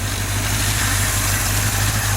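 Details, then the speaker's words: 283 small-block V8 for a 66 Chevy truck on the engine stand at or near operating temperature, still 50 psi oil pressure: deep, steady slow idle, even, no ticks or knocks; healthy. "We've gotten up to operating temperature or close to it. Still holding 50 pounds oil pressure."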